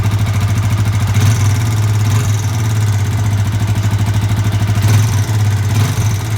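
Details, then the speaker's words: Yamaha Vixion (same engine as Jupiter MX) motorcycle with radiator removed: fast, hard ticking clatter that follows the throttle, sharper on each blip, from a worn, undersized piston or bore (piston slap). "ini suaranya piston ini piston yang bodol"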